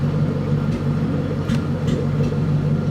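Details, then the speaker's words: Mustang V8 at warm idle after replacing spark plugs and ignition coils: healthier rumble broken by sharp irregular exhaust pops, worsening as it warms; cause unknown, owner suspects a possible blown head gasket. "So, did you guys hear that? I think I'm still having the same issue. sounds healthier, but that that pop is"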